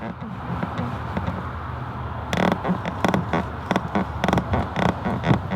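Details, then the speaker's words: VW MK7 GTI driver's seat set all the way down: sharp, dry creaks in short bursts over low cabin rumble as the seat shifts under weight; fixed by raising the seat out of the lowest setting. "yeah if you put your seat all the way down and if you go over like a speed bump or you're moving around your seat it will like creak"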